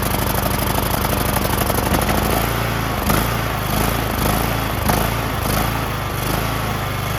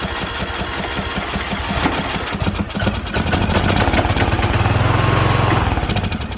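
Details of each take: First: John Deere LA110 lawn tractor, rebuilt Briggs 19.5HP engine, first run with new carburetor, warming up, idle screw adjusted: steady, even idle after some uneven running at first; runs great; normal idle. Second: Briggs & Stratton 19.5HP engine on a John Deere LA110 lawn tractor, fuel pump confirmed working: starter churns in a quick, uneven chug for several seconds but never catches; fuel in bowl not rising through emulsion, carburetor dirty and plugged.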